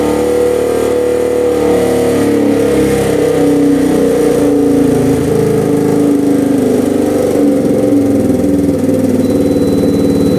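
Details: Rough 4x4 ATV sitting for years, first start after siphoning old gas, temporary choke via vice grips: single runs unevenly, surging and hunting; runs on partial choke, sputters and dies without; owner suspects lean, fuel screw to go out.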